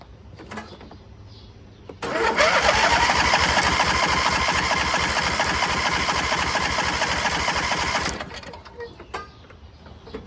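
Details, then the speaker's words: MTD Gold garden tractor with a 26 hp Briggs & Stratton engine, left sitting; the previous owner believed it had lost spark. Spark is confirmed, but six seconds of cranking at about three turns a second give only weak catches. The fuel pump works. Fuel starvation. "Let's trickle a little bit of gas down the carburetor. Probably way too much. We got fire. Kind of seems like we don't have fuel getting to the carb."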